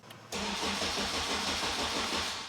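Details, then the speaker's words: Honda Type R with Haltech engine management, starting via the stock starter button: the engine cranks steadily but never fires because the Haltech loses power and shuts off while cranking. "So the reason it won't start is because the Haltech is losing power at the same time. So the Haltech's completely turning off, and the Haltech obviously is what controls the engine."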